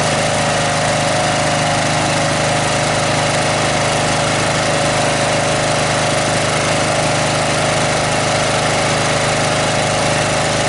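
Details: Snapper 38-inch scrap riding mower idling; steady, even drone throughout, no surging, missing or knocking; sediment bowl gasket suspected of dripping fuel, owner says engine sounded pretty good. Normal idle.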